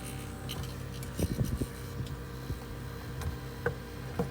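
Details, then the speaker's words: GE French-door refrigerator with warm fresh-food section but working freezer: evaporator fan had been stuck, was cleaned and freed, now hums steadily and evenly at full speed with no scraping after reinstalling. "plug it in and you can hear that hum really uh really nice it's going full bore no problems at all"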